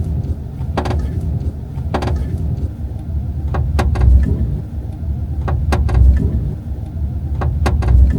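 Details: Subaru Forester, February 25 2025: sharp creaks and ticks every second or two over low road rumble from the passenger-side B-pillar, the body creaking as the car flexes while driving; the noise came back after repair.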